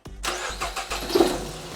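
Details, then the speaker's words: Nissan X-Trail T31, manual, code P0303, spark plugs already replaced: with the cylinder 3 ignition coil disconnected, the lumpy, stumbling idle sounds about the same. This shows cylinder 3 is already dead, with a failed coil suspected. "Okay, number 3 is disconnected. Let's start it up, see if it makes a difference. So it sounds about the same."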